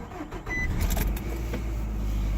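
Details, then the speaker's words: 2005 Nissan Altima cranking with an even low churning that never catches; a no-start attributed to a dirty intake airflow sensor. After cleaning the sensor, fitting a new filter and vacuuming sand from the intake, it starts. "he starts it won't start so what I have done I cleaned the sensor I clean the sensor"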